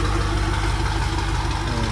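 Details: BMW F90 M5 first start-up after new spark plugs installed, ahead of a planned tune, left to idle: deep, steady idle with even low rumble and no stumble, tick or miss; engine running smoothly.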